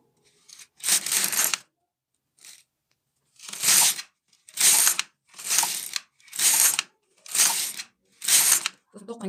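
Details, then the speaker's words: Kazakh-language demo: LK-150 single-bed knitting machine, carriage knitting first rows with main yarn after waste-yarn cast-on and weights hung; even rasping carriage strokes about once a second, each ending with a clean tick, normal carriage operation. "Өзі мынадан тоқып болған кезде тық деген ғана дыбыс шығады, сөйтіп тоқтата берсеңіз де болады."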